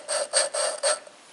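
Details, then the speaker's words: Hand-lapping a valve with fresh grinding compound on a Ford 550 TLB diesel backhoe head during valve seal replacement: four quick, gritty, harsh rasping strokes a second, the real rough sound of a seat not yet smooth. "But you should be able to hear that real rough sound."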